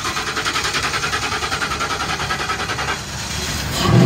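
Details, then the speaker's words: 2007 Ford E-350 XL cargo van, 5.4 L V8, 98,000 miles, suspected bad fuel pump, empty tank, running on fuel poured into the intake with a jump box: V8 catches and runs with an even pulse for seconds then dies; engine sounds good. "we really wanted you to hear the engine and the engine sounds good"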